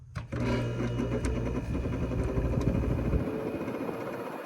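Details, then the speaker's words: 1971 Sears Coldspot 6,000 BTU window air conditioner by Whirlpool, Tecumseh AK compressor, at startup: steady hum with faint rattling whir from the fan motor, which needs new thrust washers and/or bearings; fan motor thrust washer noise. "Once the fan motor comes up to speed, it's not too loud. You could still hear the thrust washer issue, but it's not terrible."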